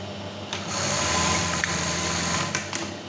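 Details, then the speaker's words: Brother 814 buttonhole sewing machine after the stop screw was adjusted: quick stitching cycle ending with only a soft click; the stop bang is now much quieter. "Yang tadi kita coba lagi Hai ini udah lirik udah bunyinya enggak begitu keras"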